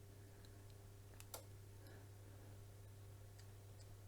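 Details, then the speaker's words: Valor electric fire after control board repair, on high setting: steady fan hum with a low drone and a few sharp relay clicks near the start; heater cycling normally, all working. "So, did you hear the relay clicking?"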